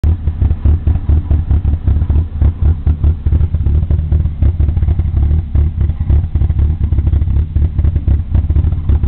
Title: Opel Corsa Rough Idle